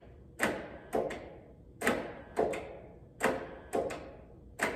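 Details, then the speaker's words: International 1566 tractor: heavy paired clunks about forty a minute with no cranking; starter solenoid clicks but starter won't engage; starter suspected, unconfirmed, being removed for testing. "option is probably it's probably the starter i guess on solenoids kicking as you can hear i can hear the to you know the popping but the for some reason it's not engaging"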